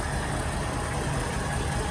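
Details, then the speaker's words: 1974 Ford Bronco 302 V8, first start in years after getting fuel to the carburetor: low, uneven loping idle, running but not cleanly, no smoke; owner suspects it needs work; rough idle. "well I hope you can hear me over all this racket but it's running not perfectly but it's also not smoking"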